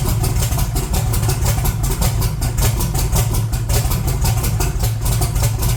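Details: 1982 Chevrolet S10, cold, first run after sitting, fresh transmission fluid and water: uneven, loping idle with irregular stumbles and heavy vibration, a clear bad misfire; vacuum very low, no high idle, so vacuum leak ruled out.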